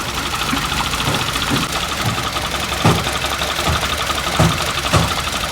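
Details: Toyota GLi that went bad after an oil change: steady idle with a light, uneven knock tapping through it; cause not pinned down, suspected but not confirmed.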